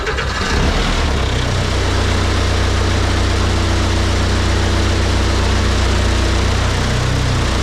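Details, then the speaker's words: Snowcat build with fairly used turbo diesel, second start-up after build: starter turns briefly, then the engine catches and settles into a steady even low clatter at idle with a little smoke; normal healthy idle. "that really fired up without much problem uh I mean I can't ask for better than that runs pretty good smoke a little bit it is a fairly used motor so that's okay"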